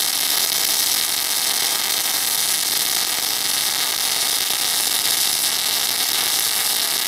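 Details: MIG (semi-automatic) welding a continuous 10 mm fillet weld: steady, even frying hiss with no pops, spatter bursts or arc breaks; welder set correctly.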